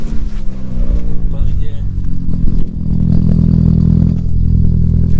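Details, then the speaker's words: Stolen-recovered Audi A3 1.8T S3 replica on a cold start: rough, uneven running with an odd irregular engine noise over the idle. Its source is unknown; there is hardly any smoke, so a failed turbo seems unlikely. "so i'm not sure what that noise is [Music] it seems to be running with a funny noise in the engine i'm not sure what that is"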